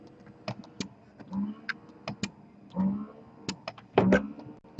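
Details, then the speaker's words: Spectra breast pump on level 6 suction in a noise comparison with Milk Genie: very quiet low hum with soft, uneven clicks and puffs, nothing harsh or grinding; pump motor running normally. "ok it's very quiet in level 6 year for spectra is when it's very quiet level 6"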